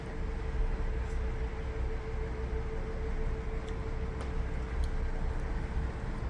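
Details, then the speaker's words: 14 kg drum washing machine after replacing the lower drain pump motor: even low rumble with a soft steady mid-pitched hum and no rattle or whine; the earlier grinding noise is gone and the pump runs quietly. "베이스 펌프 모터만 갈아도 소리가 이렇게 조용해집니다."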